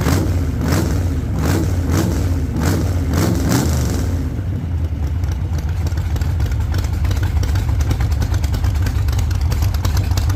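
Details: 1948 Chevy Fleetline small-block Chevy V8, 4-speed, after a fix for push rods breaking on the first burnouts: deep, loud V8 blips hard a few times, then holds a steady high-rev burnout roar, no knocking or clatter, healthy.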